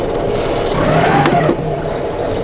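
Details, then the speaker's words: Boat engine and gearbox at the dock: over the running engine a thin, high-pitched whine rises and wavers, heard only in forward gear, reverse fine; owner unsure if the gearbox or elsewhere, suspects bearings. "that's not a sound you want to hear backwards no problem forward you have this higher pitched noise"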